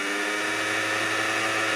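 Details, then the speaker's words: Hornby R.294 A4 Pacific 60028 Walter K Whigham, 24-year-old (1995) tender-driven ringfield motor, under power on track: steady high whir then winds down, motor spins but loco doesn't move because the drive cog fell out of the ringfield motor. "if you hear the motor spinning but it's not moving"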